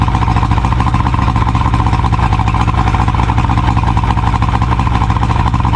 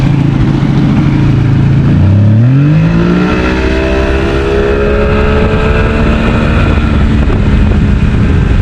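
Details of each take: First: 70hp Johnson outboard on a Nitro 165TL bass boat, run on a water hose after the lines were cleaned and hooked to good fuel: steady, even buzzing at constant speed, no surging or stumbling; running much better than before. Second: 70 hp Johnson outboard on a Nitro 165 TL bass boat running with clean fuel from a remote tank: it revs up from idle, then the pitch sags and hunts under throttle, losing power. The fuel tank is suspected, with plans to clean it.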